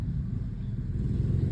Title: Penyakit gardan suara nya mbengung atau ngorok